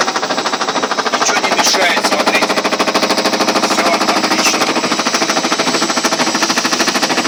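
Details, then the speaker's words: Ariston washing machine on its spin cycle. Fast, very regular knocking, about three per second, that grows louder as the drum picks up speed; the drum is knocking as it turns. "Даже я не знаю, что за стук подозрительный какой-то непонятный. Вот пошел громче, еще громче пошел, еще громче пошел, даже слышно."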